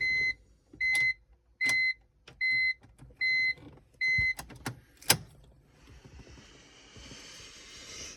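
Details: 2002 BMW E46 325Ci, intermittent no-start, 12.6 V battery, key battery replaced, EWS untested: six evenly spaced chimes, then a few sharp clicks and no cranking; cause unclear.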